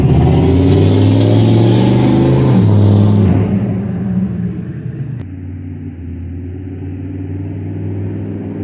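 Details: 6.5L turbo diesel pickup with straight-piped exhaust, after replacing passenger-side exhaust manifold gasket: deep rev dropping back to a steady, even idle rumble, no ticking leak at the manifold; exhaust sounds normal.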